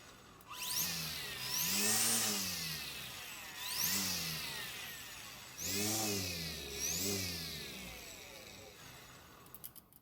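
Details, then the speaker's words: Greenworks battery electric string trimmer; high-pitched whine swooping up and down with each throttle squeeze, no grinding or rattle; normal electric trimmer motor whine. "well I'm not sure if you'd call that silent but maybe more of a wine than anything else"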